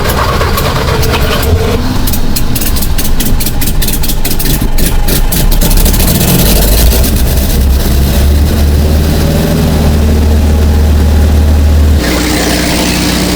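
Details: 1951 Henry J, running from a temporary fuel cell, fourth start attempt: cranks, catches and settles into a steady, even idle with a low rumble; normal engine start and idle.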